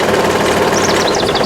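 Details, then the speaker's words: Trailer hydraulic lift before repair, after a wedged stone crushed and ripped out parts. It gives a heavy steady run with repeated high chirping squeals as the bed rises under load; the owner may need to cut and redo parts: squealing under load. "Okay, fired up. And let's see here. something not right. You can hear that."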